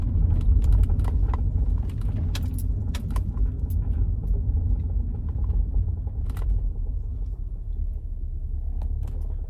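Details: 2002 Subaru Outback while driving: irregular sharp creaks and ticks about three a second over low road rumble; mechanic found multiple worn suspension parts, exact part unclear.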